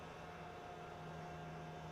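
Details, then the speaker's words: 1985 Toyota Pickup rock crawler, cranking but not starting, engine off with ignition on: steady electric hum with faint high whine as the fan and fuel pump stay powered whenever the key is on. "not sure if you can hear that humming but both the fan and fuel pump are on all the time if the ignition is"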